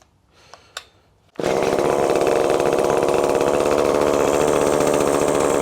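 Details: ECHO SRM-2620T two-stroke string trimmer that had been running rough and losing power, started with its clogged spark arrestor screen removed; fires after a couple of pulls and holds a high, steady scream with no bogging; revs freely, clogged screen confirmed as the cause.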